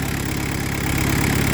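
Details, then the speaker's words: Peugeot 205 Turbo Diesel with TTV lightened 4.5 kg flywheel and performance clutch kit, pump settings still being adjusted: lumpy idle with hard, evenly spaced pulses and slight shake before cutting off; rough idle from the lightened flywheel. "Voilà ce que ça fait avec un volant moteur alléger. C'est ça qui est horrible. C'est hyper chiant."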